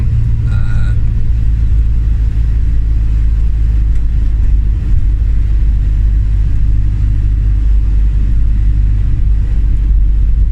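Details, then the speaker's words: Turbo diesel camper van driving to a garage after suddenly becoming very loud; mechanic found it was the exhaust, not the turbo, and a temporary fix was done: heavy constant low roar far louder than normal diesel drone; exhaust leak. "He looked at it, it was not the turbo, it's the exhaust."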